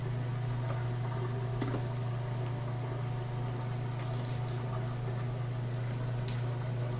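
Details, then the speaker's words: Whirlpool Thin Twin Laundry Center washer that wasn't spinning, after fixing the lid switch: a steady low pump hum with light water movement as it drains normally, before picking up speed to spin. Normal drain. "So we can hear it draining now, back to normal."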